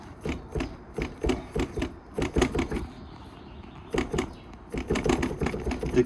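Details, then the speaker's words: Rear suspension during rear brake caliper repair; rocking the arm by hand gives dull clunks in quick bursts with about a centimetre of play, rear shock absorber bolt fully backed out and nut missing; loose rear shock mount. "А це амортизатор задній амортизатор ось видно там є болтик а він повністю викручений повністю випавший болтик гайки немає гайка відсутня"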